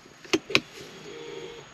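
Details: 2013 Audi A3 after rear brake job with electric parking brake motors refitted, ECU maintenance mode exited: two sharp clicks then a short soft motor whir as the rear parking brake releases cleanly.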